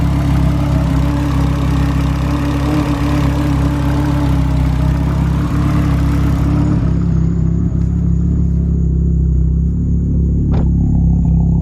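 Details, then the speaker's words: A Golf R, running with very low idle vacuum, has a faint high whirring from the engine bay over a steady engine note. The whir speeds up with revs, and its source is unknown. "there's a bit of a weird noise coming from the engine bay so shut it down like a whirring that actually got a little bit faster when you it did get faster when you revved it a little bit"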